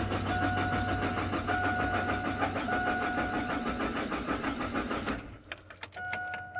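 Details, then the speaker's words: Chevrolet/GMC truck (Silverado, Sierra, Tahoe or Suburban, 1996–2003, 4.3, 5.0 or 5.7 engine) with no spark: steady cranking about three turns a second that never catches; oscilloscope shows signal lost on a white wire, wiring fault. "muchachos no se diga más aquí hay problemas de cableado muy bien hay problema serio con el alambrado"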